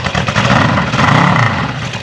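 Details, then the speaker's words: 1974 Honda CB550 four-cylinder, first start during restoration after wiring and points fixes, carbs primed with brake clean: crisp, even exhaust beat with no missing or knocking; runs properly. "that's nice that sounded good that was actually running"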